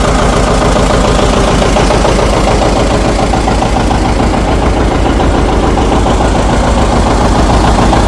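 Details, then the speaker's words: 1959 John Deere 730 two-cylinder just started after sitting about a year and a half, good oil pressure: slow even putt about two beats a second, steady and unhurried; normal healthy idle. "Okay. That's nice to hear it running. Well, that runs pretty good. That sounds real nice."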